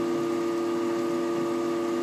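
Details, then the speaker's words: Desktop PC freezing while pages are refreshed, camera on the centre of the system unit: steady buzzing hum with fixed tones under faint crackle; crackling stops as the freeze ends and the yellow light returns to blinking; cause unknown. "вот эти звуки Слушайте вот сейчас трещал сейчас перестал и лампочка сразу жёлтом жёлтое перестало гореть о стало мигать как обычно"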